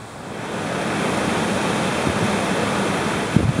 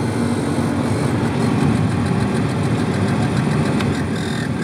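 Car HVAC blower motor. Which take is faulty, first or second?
second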